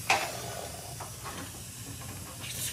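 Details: Kolpak beer walk-in cooler at about 160–175 psi, leak traced downstairs at the evaporator: sharp hiss then faint steady hiss of refrigerant escaping through a hole blown in the coil, likely from an electrical short by dangling wires.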